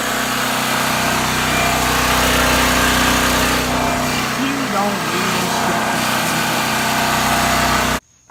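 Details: New Powerhorse 4000 generator on its first run: a steady, even engine drone with constant pitch and no knocks or surging before it is shut off; it is running normally.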